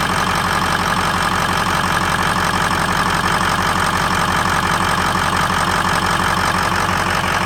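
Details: 2003 Ford F-250 6.0L Powerstroke diesel at startup: loud clatter at idle with a lopey pulse near three a second that keeps wavering; rough idle, possibly a misfire.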